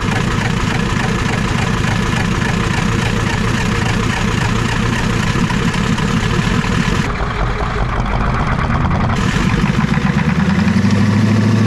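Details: Ford 7.3 IDI diesel just revived after long cranking: even, steady diesel clatter at idle with no misses, then smoothly rising to high idle. Engine running healthy.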